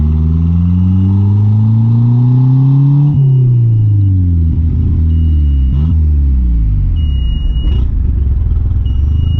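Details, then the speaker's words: Conquest turbo (G54B), after swapping fuel pressure regulator: revs rise and fall unevenly with repeated stumbles and sags; bogging, owner suspects it runs so rich it chokes itself out, fuel pressure correct. "I don't know what else it could be it's just it gets so rich that it like I don't know chokes itself out the fuel pressures right"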